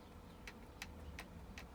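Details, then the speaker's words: Arrma RC car (Kraton/Talion/Outcast/Typhon) front differential, stock without shims: four sharp evenly spaced ticks from side-to-side wobble; needs shimming. "that little wobble and hear that ticking that's because it needs to be shimmed and this one stock did not come with any shims"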